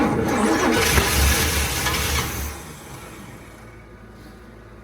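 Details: 1979 Cadillac Eldorado with an Oldsmobile 350, first start attempt after sitting about 14 years, very cold, spark confirmed on a hooked-up battery; starter cranks steadily and the engine tries to catch, then dies away without running.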